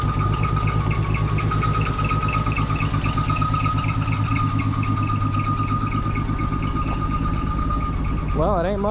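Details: Old carbureted Ford six-cylinder that sat for months, just started with gas poured down the carb. Deep, uneven thumping idle at about two beats a second. Rough running after long storage.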